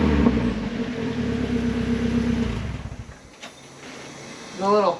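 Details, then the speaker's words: Miata with axle-back muffler removed, leaving cat-back with resonators; deep, raspy note revving then dropping off with a crackle and pops; loud, open exhaust. "I'm gonna give you a little sound clip of what it sounds like because it sounds pretty mean"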